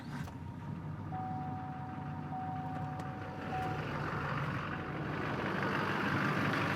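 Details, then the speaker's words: 2004 GMC Sierra 3500 with LLY Duramax diesel V8, idling before the cylinder 7 injector harness is shaken to trigger limp mode: even, steady diesel clatter with no miss or knock and a faint background beep; runs normally. "so this is the truck running normally"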